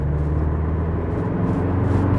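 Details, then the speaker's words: 23-year-old Mk4 VW Golf diesel on the road, fourth-gear pull after a third-gear pull: deep, steady diesel drone pulling smoothly, no knocks, rattles or whine; normal acceleration, healthy engine, averaging 54 mpg. "Nothing too major. Fourth gear pull. Lovely."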